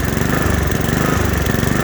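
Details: Honda HRX217 lawn mower before carburetor cleaning: the small single-cylinder engine pulses unevenly, its speed swelling and sagging about every half second. Surging caused by a dirty carburetor; cleaning it fixed the problem.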